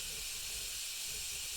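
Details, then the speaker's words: Bialetti Mukka Express 2-cup cappuccino maker not locking tight: steady high even hiss of steam escaping past the joint between upper and lower parts; coffee never goes up, dangerous, same failure every trial. "All the water comes from gas and goes between the two parts. And this is becoming really dangerous actually."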